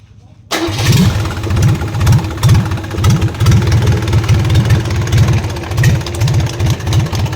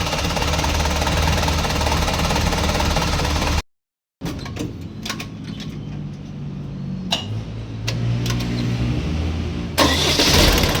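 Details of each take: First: Isuzu 4BC2 diesel in a jeep, just after start: a deep rhythmic knock about twice a second over the idle. At first it was thought to be inside the engine, but it was found to come from the injection pump. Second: Isuzu 4BC2 diesel jeep engine that knocked under slight throttle, after injection pump reinstall, test run: even idle beat, revs cleanly and settles back with no knock now; normal running.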